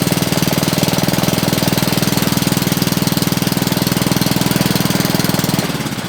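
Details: Honda GC160 5hp single, hard-start repair with faint spark and carb fuel leak, restarted on choke: steady even putter about four beats a second without stumbling; normal running.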